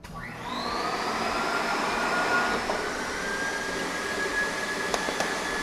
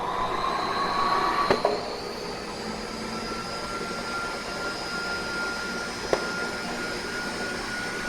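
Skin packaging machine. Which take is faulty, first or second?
first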